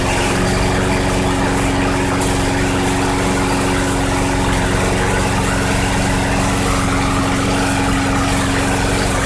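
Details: 2006 Craftsman 917.376160 push mower, tank nearly bone dry, running after carb cleaner was sprayed in: a steady, even single-cylinder beat with no misses, surging or knocks, so it runs smooth and healthy.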